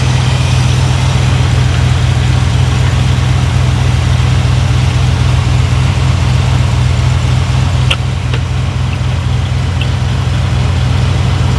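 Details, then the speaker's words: Long-stored Jeep Cherokee Chief V8 after oil change, fresh battery and filled float bowls: deep, steady even burble with no knocks or misses; healthy idle, just slightly fast. "drives good, stops good. You can turn the idle down a little bit, but damn, I can't believe it's been sitting that long and runs as smooth as it does."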